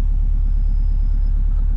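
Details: Subaru Bugeye WRX just after swapping in a Deatschwerks 200 fuel pump, as a dead pump might cause its running issue: low even idle rumble with no misses, knocks or surges; slight pump hum, no fault noise evident.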